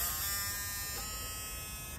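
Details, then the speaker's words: 1999 Ford F-150, 4.2 V6, dead for years, with a newly replaced fuel pump: a steady high electric buzz for about two seconds at key-on, then it cuts off, a normal fuel pump prime. It is heard in the engine bay; owner wonders if the relay is now working. "why do I hear that in the engine bay that's weird though Maybe the relay is working for the first time ever"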